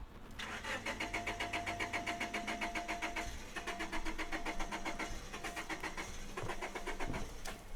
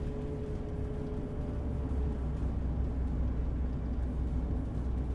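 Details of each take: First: Honda Civic EK hatchback after tune-up, bouncing off rev limiter when floored; after ten minutes of good idle following a drive, starter cranks steadily three to four turns a second, stops, cranks again without catching: crank no-start when hot. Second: Honda EK Civic hatchback after a tune-up, idling: low, steady rumble with an even beat and no stumbles; idles much better than before in drive, reverse and park.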